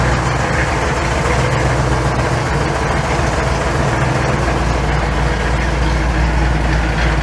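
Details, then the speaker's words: Truck V8 with Holley Sniper EFI after loading the learned base fuel table: idle still hunting between about 850 and 900 rpm, air-fuel ratio now right and less rich; uneven pulse with slight rise and fall plus puffing from a remaining exhaust leak. "so I've got everything put back together she's running really well idle's still kind of searching a little bit running between like 850 and 900."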